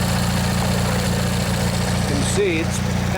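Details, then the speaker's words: Old Montgomery Ward/MTD riding mower, 16 hp Briggs & Stratton flathead opposed twin, after replacing the worn starter motor; long unstarted. Smooth, even, steady idle beat with no misses or knocks. Normal idle. "let this run a bit let you guys listen if you want yeah it runs real nice"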